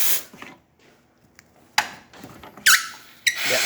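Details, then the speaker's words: Profitec espresso machine with heavy scale build-up, after leak repair: short hisses of steam with brief high squeaks as the valves are turned; still squeaky after some lubrication, valves need servicing. "you can hear that. It is squeaky. We lubricated a bit, but they still squeak quite a lot, so they need to be serviced."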